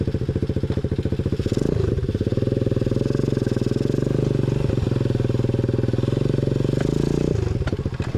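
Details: 125cc four-speed kick-start engine newly fitted to a chopper-style build with new custom exhaust, running and ridden: even, rapid exhaust beat swelling with throttle and settling back, firing cleanly without misses; healthy normal running.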